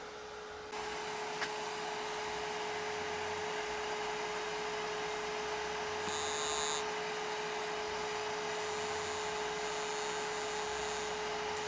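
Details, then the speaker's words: DLP rear-projection TV mercury arc lamp running bright: steady mid-pitched hum over a faint hiss; lamp buzzing, owner suspects flickering. "H it's buzzing the light must be uh flickering what else I don't know what else we cause a buzz like that"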